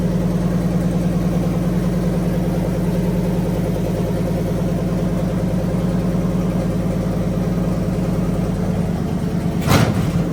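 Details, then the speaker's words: Fully rebuilt Magnum 318 V8 with a 360 camshaft, roller lifters, new pushrods, rings, bearings, oil pump, timing set and water pump, plus a valve job. Timing adjusted and a carburetor vacuum leak fixed. Running through heat cycles with a smooth, even idle and steady low burble, no knocks or misses: normal running. "But we've got the timing set a little bit better. Got her dialed in pretty good. Running her through heat cycles."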